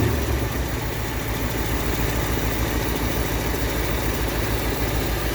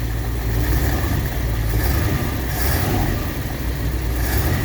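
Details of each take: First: 1959 Ford Fairlane 500 V8, first run in 17 years with a new gas tank, warming up: lumpy, uneven idle around three beats a second; timing not adjusted, timing chain loose, and the carburetor is suspected to still be gummed up. Rough idle, cause unconfirmed. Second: 1959 Ford Fairlane 500 carbureted engine, first start after a new gas tank was installed: steady, smooth idle with no knocks, only a little smoke.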